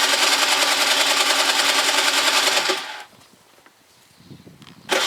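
High whirring cranking for about three seconds, a pause, then another attempt; the engine never catches and runs.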